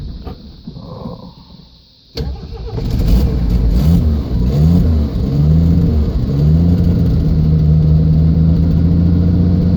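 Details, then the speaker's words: 1979 Jeep CJ5 AMC 258 inline six, runs only on choke; catches after a couple of seconds and revs unevenly, pitch surging and sagging, rough hesitant run; dirty carburetor or leaking intake gasket suspected, not confirmed. "oh yeah some of them we might have a bad intake gasket too I've had to change the engine gasket out on these before that was running just about like this because it wasn't full enough vacuum to pull the gas in there it was just pulling straight air into the intake gasket"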